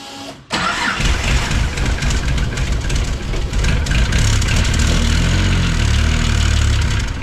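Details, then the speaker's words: Turbocharged engine being built toward 1000 hp, first start after turbo refit and return to factory variable valve timing, cold: rough, puffing idle with sharp ticking hiss; exhaust leak suspected at the V-band, not confirmed. "It's got an exhaust leak. You can hear that already."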